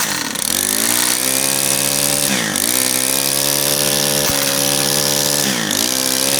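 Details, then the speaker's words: Brand new Stihl FS91R two-stroke string trimmer, primed and started; buzzing revs sag and dip every couple of seconds as if about to stall, idle speed set too low. "Idle's a little low, but all right, that's just not going to sit there."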